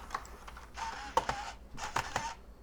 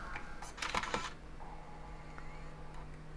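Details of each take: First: G4 laptop, DVD inserted at power-on: short whirring bursts with sharp clicks and pauses as the optical drive spins up and seeks repeatedly but never reads; nothing on screen. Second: PowerBook G4 laptop with no hard drive, Mac OS X 10.3 install CD inserted at power-on: a couple of clicks, then a low steady hum and faint rising whine as the optical drive spins up normally.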